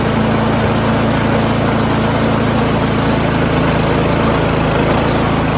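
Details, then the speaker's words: Troy-Bilt Storm 2410 snowblower, MTD Powermore engine, after carburetor removal and cleaning: at full run throttle the drone swells and sags, still surging; blamed on clogged jets/lean mixture, later on low-octane fuel. "all right see it's still going to it's still going to Sur okay so in summary we took apart the carburetor right and it's cleaned everything and it still surged right"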